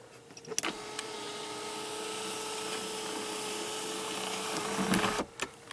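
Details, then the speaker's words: Pontiac Grand Am GT SC/T: even electric motor hum at steady pitch for about four seconds with clean start and stop clicks; sunroof motor working normally. "So these ones work. As well as the sunroof."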